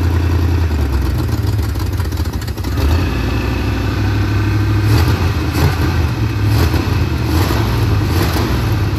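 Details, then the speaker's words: Big-block Monte Carlo street car, just got running and timed after rear end install, distributor still to be tightened: deep, steady rumble rising and settling cleanly with revs, no miss or knock; normal running. "But, we got the rear end under it. We got it, running good. I gotta tighten down the distributor."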